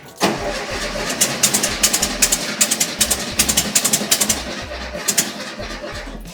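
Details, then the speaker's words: Restored VW Bay Window camper engine, first start attempts after fitting, petrol leaking at the back; cranking with uneven sputtering catches that never run; they suspect timing is way out; hard starting. "Sounds like timing is way out."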